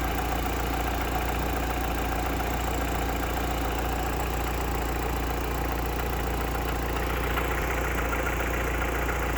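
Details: Mitsubishi Lancer Evo 8 petrol engine idling steadily with a fast, light ticking over the engine hum from a dead hydraulic lifter.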